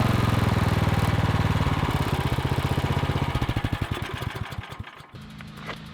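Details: Troy-Bilt Vortex 2890 snowblower after clearing a solidly plugged low idle jet, started cold on full choke: small single-cylinder engine pulses steadily and evenly, winding down without hunting or surging; normal running.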